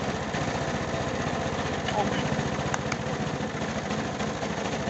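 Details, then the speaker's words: Briggs & Stratton 375 Sprint mower engine started cold: rhythmic tick-and-puff on each firing stroke, with an air leak from underneath, oily residue and a fuel smell, from a blown head gasket. "On entend quand même un claquement, une fuite d'air qui vient de là en dessous, vous voyez."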